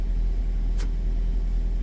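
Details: Nissan X-Trail, QR20 engine, P0302 primary ignition circuit fault with no current codes: smooth, steady low idle with no misses or stumbles, just one small click; engine idling evenly.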